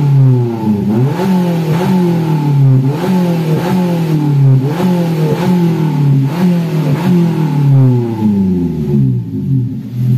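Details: Daihatsu Gran Max being revved repeatedly. The pitch climbs and sags about once a second, sounding strained and choked, and the exhaust rattles and shakes. Cause: clogged catalytic converter.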